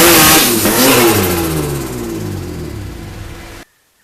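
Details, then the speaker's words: GTO race car on dyno, stock ECU, injectors and airflow meter, base run: hard pull then power abruptly cuts and revs slide down; factory ECU speed cut, solved by unplugging speedo drive. "really a couple of issues with speed cut and I'll show a quick clip up of that now it's it's pretty violent when it hit it as you'll see from the video"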